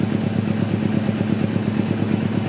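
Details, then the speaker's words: 2009 Kawasaki Ninja 250R carburetted twin, exhaust at idle: evenly spaced exhaust thumps, no stumble or skipped beats, equal intervals; cylinders firing in balance, healthy. "Nih, suara knalpot. Dentungnya benar-benar teratur. Gak ada berbet-berbetnya, dan juga antar dentum semuanya intervalnya sama."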